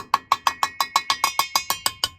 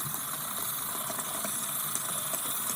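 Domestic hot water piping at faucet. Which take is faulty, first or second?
second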